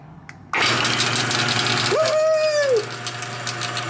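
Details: Sears Craftsman LiftMaster 1/2 hp garage door opener after replacing the gear-sprocket assembly (before it made noise but would not move): a steady low motor hum with a smooth whine that rises and settles as the carriage travels. It runs evenly and sounds normal.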